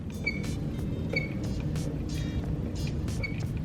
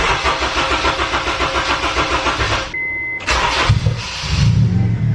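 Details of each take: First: K24 EP3 with a Skunk2 throttle body worked by hand; sharp high squeaks in spurts about every second, with felt grinding as the butterfly wedges and binds; owner suspects the throttle body, which has no return spring. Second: K24-swapped EP3 with recent battery problems (charger not working): a short crank catches quickly and settles into an even, steady idle. Enough battery power; normal engine start.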